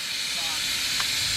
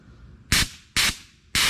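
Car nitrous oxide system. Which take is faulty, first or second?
first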